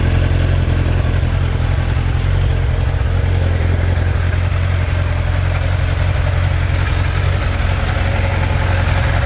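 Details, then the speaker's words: Kawasaki ZZR 1100 after two months of crash repairs, new exhaust system fitted, coolant refilled: steady, even low idle with a smooth deep exhaust beat, no knocks, misses or rattles; sounds great, healthy. "Oh, yeah. Oh, it sounds great. I am one super happy chap."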